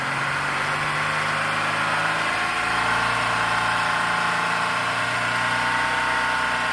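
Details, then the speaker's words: Engine revved to about 3,500 rpm, then the EGR solenoid is grounded, forcing the valve fully open. The revved engine sags steadily lower in pitch as exhaust gas sucked into the intake drags the speed down; at idle this caused a stall. "So obviously the test that Leo and I did, the vehicle at idle, he stalled the vehicle out because when we grounded this, it opened the solenoid completely and it was just sucking in exhaust gas through the intake, which caused the vehicle to stall."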